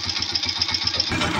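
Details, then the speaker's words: Honda TMX 125 idling after tune-up and with cover closed: steady, even single-cylinder putter with only slight remaining top-end ticking, much quieter than before. "pinaandar natin para marinig natin So Meron nga siyang konti Ayan Konti lang"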